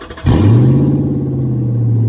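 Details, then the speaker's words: LS400 sat over a year, new battery, fuel gauge near empty, relocated/lengthened fuel lines: brief crank then catches at once and settles to steady even idle with no stumble; normal start. "This thing's just sitting forever, dude. Starts right up every time."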